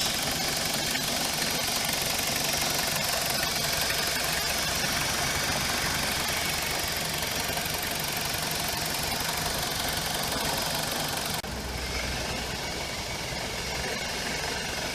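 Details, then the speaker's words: BMW E46 with N42 petrol engine, warm idle after about 15 minutes: dense hiss with occasional soft clunk from the belt drive, quieter than when cold; tension pulley already replaced, alternator idler pulley or alternator suspected, shorter 1870mm belt fitted earlier. "So now it seems quieter, but occasionally we still have the clunk, clunk, clunk noise. This is after about 15 minutes."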